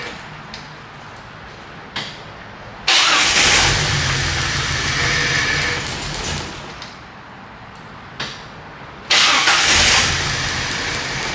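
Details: 1998 Jeep Wrangler 4.0L inline-six that died at a stoplight, spark and injector signal confirmed during crank-no-start: repeated cranking, fires, runs roughly a few seconds, fades out, restarts; starts then stalls.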